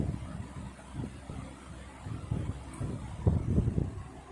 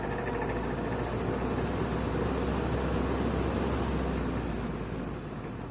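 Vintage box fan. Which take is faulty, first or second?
second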